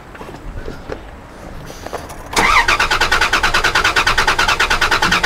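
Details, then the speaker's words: Dodge Dakota that won't start: steady starter cranking at about three beats a second that never catches, with the gauge showing no fuel pressure; the fuel pump relay and circuit are being tested, and the stored cam sensor code was unrelated. "All right, try again. Obviously nothing. I mean, yeah, there was no fuel pressure. Something's not right here, Caleb."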